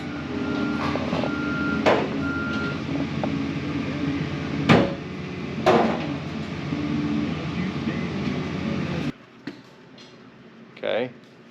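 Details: Diesel front end loader with 1638 hours, bought in southern Utah and being checked to see if it runs: steady diesel rumble with a short, regular reversing beep and a few clunks. Normal running.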